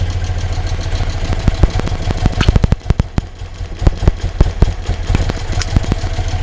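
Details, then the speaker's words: 1975 BMW R75/6 airhead boxer, one HT lead pulled: single cylinder firing with lumpy uneven beats, more than five strokes before faltering (aim three); Bing carburettors out of balance, butterfly and mixture screws to be adjusted. "and we have more than five so that's gone back on what i'm going to do now is adjust this cylinder"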